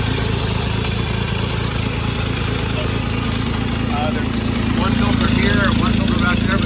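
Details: 1948 Chevrolet 3800 dual-wheel stake bed truck, long parked, start attempt: steady low six-cylinder putter, even idle, slightly lumpy but holding on its own; normal idle.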